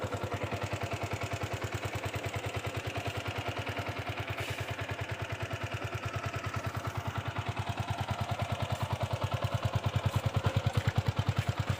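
Even, regular putter at a steady idle, slightly louder toward the end, no misfire or stumble; bike starts and runs fine.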